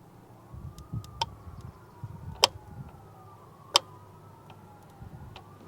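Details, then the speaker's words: 2013 Multiquip 1.5 ton vibratory roller that won't start: old electric fuel pump wired straight to battery gives sharp isolated clicks about a second apart with no pumping hum; failed fuel pump. "No. It clicks, but it doesn't clack. You know what I'm saying?"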